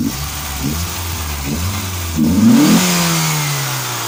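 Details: Mk2 GTI petrol engine idling, then a quick rev leaving a thin whine that falls away as revs drop: bad alternator bearing.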